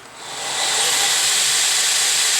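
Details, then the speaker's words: Belt grinder driven by a 1 hp, 3-phase, 1725 rpm four-pole motor on a GS2 VFD with shortened acceleration ramp, run for about 4200 surface feet per minute: an airy whir reaches full speed within about half a second, then holds a steady rush. A normal quick ramp-up. "So anyway, let's uh let's hit start and uh you can hear how much faster it ramps"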